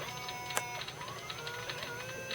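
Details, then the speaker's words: Airfield 1400mm T28 RC plane on the bench (controls cut out after about 5 minutes of flight; SBEC or a binding servo suspected): a faint high steady whine with ticks from the 50A speed controller and a smell, not very warm. "that is coming from the speed controller I do smell something although it's not very warm"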